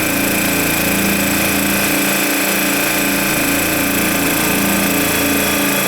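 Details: Air Star 30 dual-head oilless compressor building pressure toward cutoff during maintenance, after which purge gradually weakens as expected: steady even rattling drone at constant pitch with fast regular pulse, no knocks or misses; normal.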